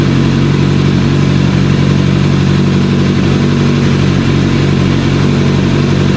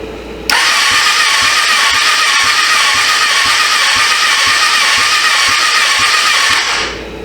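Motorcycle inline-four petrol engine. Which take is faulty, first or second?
second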